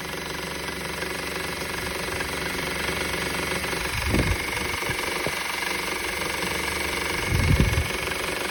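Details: 2013 Honda Civic idling with a fast, uneven metallic rattle about four taps a second; noise persists after belt tensioner and belt replacement, source unclear.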